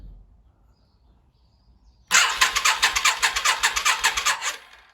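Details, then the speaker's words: Yamaha XV 535 Virago barn find, laid up since October 2013 (about 10 years), first start attempt with fresh fuel, leaky fuel hose: starter cranks steadily about three seconds, engine never fires; owner suspects weak battery. "Hm, ihr habt's gehört, das Motorrad springt nicht an. Nun gut, der erste Startversuch ist schon mal fehlgeschlagen."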